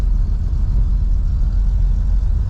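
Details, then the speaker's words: 1954 Chevrolet 210 (Bel Air trim) on the road: low even engine rumble with steady road noise, no knocks, whines or clunks; runs and drives nice, shifts smooth, smooth and quiet. "yeah it just runs and drives nice you can hear shifts smooth everything on it is smooth and quiet really nice old car"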